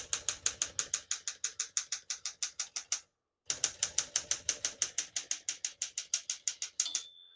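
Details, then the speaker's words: Serviced 1966 Smith-Corona Sterling portable typewriter typing normally, right margin set near 75: crisp, even key strikes about three per second, a short pause, more strokes, then a clear bell ring marking the end of the margin. "Once you hear the bell, you're at the end of the margin. Hit this line space, get you back to the beginning, and skips 1, 2, or 3."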